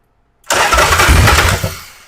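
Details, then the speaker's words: Cheap knockoff S&S Super E clone carburetor: short burst of starter cranking dies away without catching when just touching the start button; hard start because the carburetor isn't calibrated properly. "Now, if I did that here in this instance, it's not going to do that. And it's because this carburetor is not calibrated like it should be."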